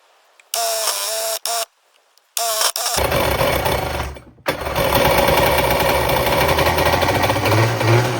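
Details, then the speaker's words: Running 1994 Kawasaki 550SX stand-up jet ski, reed-valve two-stroke on premix, claimed freshly rebuilt with oil put down the cylinders, catches after short bursts into loud, uneven, choppy stumbling run, belching smoke; water box suspected cracked, cause unconfirmed. "She's running, but she's running real weird."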